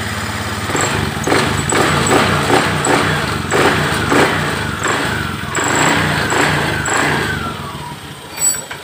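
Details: Honda Beat ESP/POP fuel-injected scooter, after fixing a faulty fuse-box connector and broken wires that caused total electrical failure and no ignition; starter cranks briefly, the engine catches and runs with a few even blips, normal.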